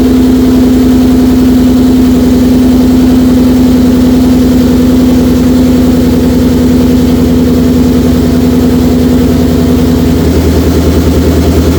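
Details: 2004 Mercury Marauder with a freshly swapped forged supercharged 03-04 SVT Cobra engine, at first start: deep, even lope at about 3.5 beats per second with a steady tone above. Strong, clean idle with no misses.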